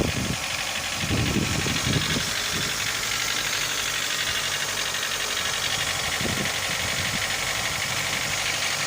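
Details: Mitsubishi Lancer 9 1.6 at warm idle: no knocks at a cold start, only slight shaking, but once hot an uneven knocking sits under a loud hiss with a few heavier early thumps; the knock appears hot.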